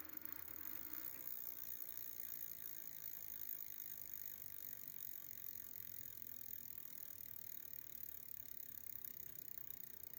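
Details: Prophete Entdecker e8.6 e-bike, Bafang BFSWX02 250W 36V geared planetary rear hub motor, about 1000 km after 5 months (3 in use), daily 4 km with 80 m climbs: quiet, fast, gritty ratcheting whirr held steady; geared hub noisy.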